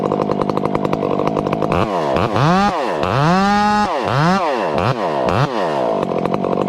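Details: 500-class chainsaw with an old hand-filed chain cutting small wood. Steady high-pitched scream that bogs and recovers through short cuts, with only slight four-stroking burble; it runs acceptably and healthy.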